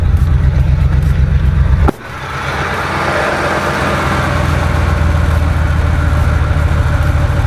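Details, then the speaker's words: 2005 Ford F-150 V8 that developed a misfire while driving, after two ignition coils were replaced: brief blip, then a smooth, even idle with a steady low burble and no stumble; runs smoother, normal idle. "that does feel a lot smoother all I did was replace two of them"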